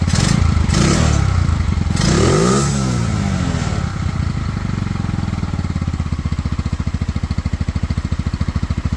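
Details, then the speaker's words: Pioneer Nevada motorcycle in heavy rain after rusty tank cleaned with white vinegar and new carburettor fitted, choke off: a few revving blips settle into a steady, even single-cylinder putter, running on its own; slightly sticky throttle noted. Normal idle and revving. "um you know the choke is off so the bike is now fully running on its own idling she revs there"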